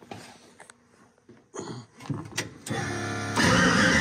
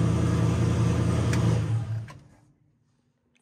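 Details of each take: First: Mustang with single-turbo SBE L33 swap, first start attempt: starter grinds the engine over at an even rapid beat without catching; crank no-start caused by an ignition timing offset in the tune, fixed by removing it. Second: Mustang with a single-turbo SBE L33 engine on first start-up, after correcting a wrong ignition timing offset that had prevented starting: it fires and runs with a strong, even low rumble, then winds down smoothly; clean start, though vacuum leaks remain.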